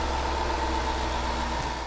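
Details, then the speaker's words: 2013 Range Rover Sport L320 5.0L V8, 160,000 miles, just after oil change with about 8 quarts 5W-20 synthetic: smooth even idle, steady low hum, no knocks or ticks; healthy, no leaks. "everything sounds great so there's no gushing oil underneath sounds perfect up here sounds just like it did"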